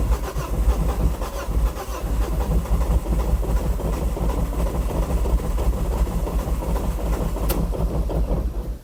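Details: 2006 Ford Focus ST225, first start attempt in over a year: rough, uneven cranking churn for several seconds that never settles into idle, cranks but won't start.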